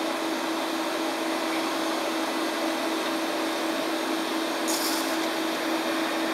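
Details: Classic Digital (DEC) hard drive in a special holder: steady mid-pitched whine over constant airy hiss with one brief higher chirp; owner unsure if normal, considers cleaning it. Unusual running noise.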